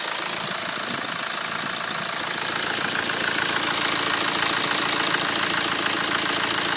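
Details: BMW 118d E87 phase 2, late 2008, 120,000 km: steady diesel idle with a hard, regular metallic rattle about twice a second; known series fault suspected, possibly timing chain, not confirmed.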